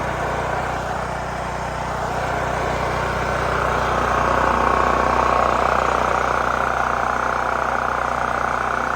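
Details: New Holland Agriculture 6500 W generator, previously seized after running low on oil, restarted with fresh gas, valve cover and spark plug refitted; steady, even single-cylinder drone at constant speed, no knocks or misses; normal running.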